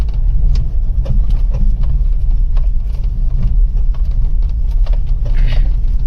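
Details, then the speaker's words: Maruti Wagon R BS6 driven over rough road: uneven light knocks and clunks over heavy road rumble from the front left wheel; worn lower control arm bush. "जो left side का जो wheel है ना उसमें आवाज आ रही है"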